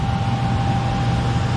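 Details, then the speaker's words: Furnace after replacing the transformer, control board, blower motor and capacitor: the new capacitor charges, then the blower kicks on with a steady, strong low hum and even airflow rush, no rattle or squeal, running nice and fast; normal blower operation. "There it goes. It's kicked on. And it's running real nice and fast. Oh yeah. Now that's what it should be doing."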